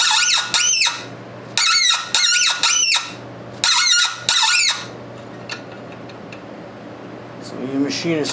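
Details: Hand-tapping a thread on a fabricated push rod for a 1919 Domestic side-shaft hit-and-miss engine with hexagonal thread-chasing taps: sharp high squeals about every two seconds as the tap bites; tight thread, Tap Magic applied.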